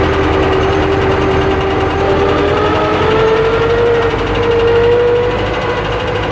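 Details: YuMZ (EO-2621) diesel tractor engine at steady idle, with a dull, uneven knocking under a rising whine: piston knock.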